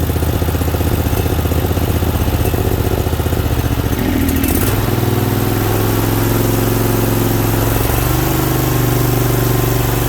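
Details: Second Briggs Vanguard V-twin running with the choke held up by hand because it keeps falling. Even, steady idle with a brief blip partway through, then it settles back smooth; healthy, normal running.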